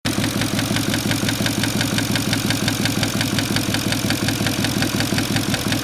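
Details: Porsche Cayenne engine at a steady idle with a quick, even light tick riding over it, about three per second; the source of the noise is not pinned down. The cause is suspected, not confirmed.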